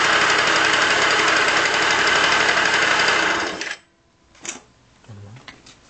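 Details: Yamaha Aerox scooter, noise suspected from variator: engine runs with fast rough rattle about four times a second, then shuts off. Worn crankshaft bearings.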